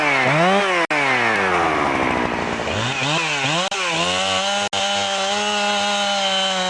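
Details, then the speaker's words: Husqvarna 365 chainsaw after intake boot replacement: revs up and drops back cleanly several times, then holds a crisp, steady high note without stumbling; normal running. "so now that I'm done installing the intake boot I'm going to take it outside start it up and make sure it runs good"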